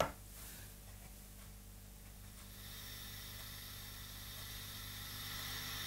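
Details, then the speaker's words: Hand-wired Vox AC15 valve amp after a power-supply repair, volume turned up: a sharp tap sets off a ringing hum and hiss that hangs on and swells. A very microphonic preamp tube is found and replaced by substitution. "I reckon you can hear that that's the sound of a very microphonic tube that one's fit for the bin"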